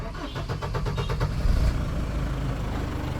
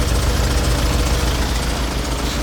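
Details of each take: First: Tata Safari 2.2 VTT 2011 diesel after starter repair, loose bendix freed and new starter brushes fitted: starter spins briskly about a second, engine catches cleanly, steady even idle; normal start. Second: Tata Safari diesel (2.2 VTT 2011 BS4 or 3.0 Dicor 4x4 2006) at a workshop for starter motor repair: low, lumpy idle with slightly uneven knock; owner feels the sound is off, cause unconfirmed.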